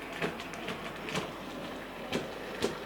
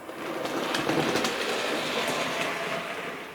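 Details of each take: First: Sir Walter Scott model locomotive running slowly forward and back: sharp clunks about twice a second over a light running whirr, repeating with wheel rotation, caused by a split axle gear. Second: Model locomotive Sir Walter Scott after replacing the split axle gear: light, even clicking rhythm at a steady pace with no heavy clunk; drive gears meshing cleanly, runs smoothly.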